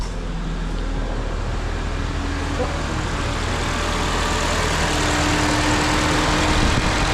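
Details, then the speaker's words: Ford Fiesta after chasing fault codes, final check: engine started and AC button pressed to switch on cooling fan; steady, even idle with constant fan rush building slightly over several seconds; normal idle, cooling fan working. "we just want to check the cooling fan what we're going to do we're going to start it up put the fans on I'm going to click the AC button and that should put the cooling fan"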